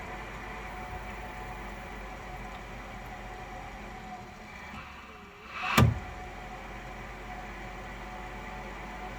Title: Grundfos SCALA 2 knocking sound